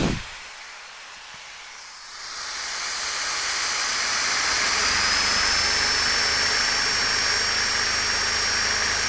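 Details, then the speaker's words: Homemade inverter on battery running a battery charger, 7.5 amp Sawzall and 1/2 hp 5 amp drill at once: steady loud whirring and hiss building then holding, faint high whine and beeping; tools run fine. "As you can hear, the unit's kicked in. Probably hear the beeping noise, but I'd say it's time to test this unit."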